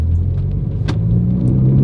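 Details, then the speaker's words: BMW 330e G20 with aftermarket Alibaba valved backbox, cold morning, creeping off the brake at low revs: deep droning rumble; exhaust backbox vibration, owner suspects needing new mounts. "but once you go to like around 2K, you can hear it. I don't know if you guys can hear it."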